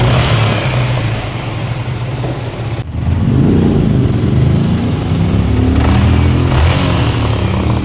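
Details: Yamaha MT15 after engine rebuild with new block and piston, torque-wrenched and timing chain set; engine catches, settles into steady even beat, revs cleanly and returns without misses or knocks; running healthy.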